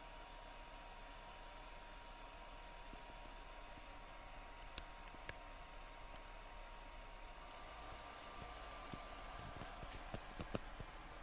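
Steady airy whoosh with a fixed mid-pitched hum that never changes; the console fan is running fast and loud, cause unclear.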